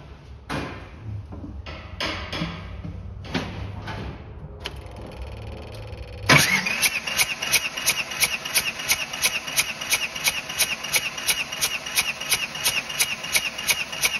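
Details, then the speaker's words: Bobcat 543 with 2-cylinder Isuzu 2AA1 diesel that's hard to start cold; starter cranks steadily at about three beats a second without firing during a compression test, showing slightly low compression on cylinder number one. "well looks like we found the problem a little bit low compression on number one"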